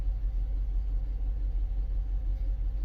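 Deep, low rumble with a smooth steady pulse and no ticks or misses; a healthy V8 idling evenly.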